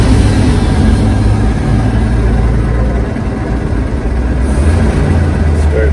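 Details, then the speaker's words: 1946 Chevrolet pickup with a mechanical fuel pump, after replacing the soft fuel line to the carburetor with a hard line and a new ignition switch: starts right up and idles deep and steady, restarting fine. "Starts right up. Shut her down. Turn her back on. I think we're looking good now for the time being."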